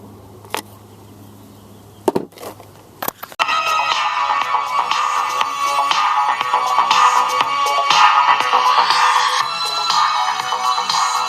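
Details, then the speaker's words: European-made RCA Victor AM/FM/shortwave portable transistor radio after replacing bad AC151 germanium preamp transistor: after switch clicks, music plays clean and steady, no crackle or hiss, no erratic current draw; repaired, normal audio. "Okay, zero noise. This is a Russian MP16, I think. I'm not sure. No erratic current draw. Sounds good."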